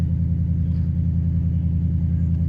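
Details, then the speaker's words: 2022 Jeep Grand Wagoneer with 5.0 V8, low miles, at a salvage yard, no warning lights: deep, steady V8 rumble at idle, smooth and even with no knocks, ticks or misses; normal healthy idle. "Sounds healthy. Let's pop the hood, check it out. Man, that sounds good."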